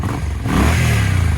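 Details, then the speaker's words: Suzuki Boulevard C50 / VL800 Volusia V-twin after tune-up (new plugs, new fuel line, carb cleaned), previously only ran on choke: smooth even rev with no stumble or popping; runs well after test ride. "she runs real good now rides real nice so yeah I think I think this one's about done"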